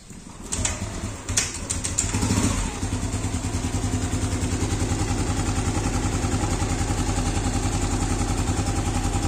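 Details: Yamaha Aerox scooter after valve clearance adjustment for a hot-engine ticking noise: engine catches after a few cranks and settles into a steady, quiet idle with no top-end ticking; rocker arm tips fine.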